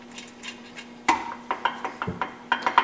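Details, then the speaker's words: Midwest Super Cub aftermarket 3-speed tractor transmission on the bench, bolts finger-tight: sharp uneven metallic clacks as loose gears rock, excess backlash before tightening and shimming toward zero backlash. "There's some looseness in there yet. You can hear it rattling. We're going to start snugging this up until the backlash disappears."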